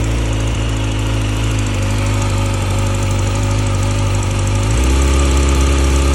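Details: 2020 Yamaha R6: light, fairly even ticking, about three or four per second, over a steady engine note that steps up; source of the tick unknown.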